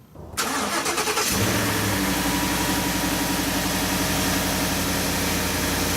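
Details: 2015-or-later Ford F-150 cold start: brief cranking, then a smooth steady fast idle with no rattle or clack. A cold-start rattle that can sound like timing chain slap comes from the active grille shutter louvers closing, not the chain.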